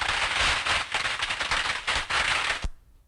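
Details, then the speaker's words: Ultrasound probe on a water pump: dense, irregular crackling and popping like frying fat, which is cavitation as the pump struggles to pull water through. "I put the the probe right there right there on that pump that's where that's where I made my recording okay we had a question about this earlier what this is is actually its cavitation okay the pump is trying to pull the water through ther"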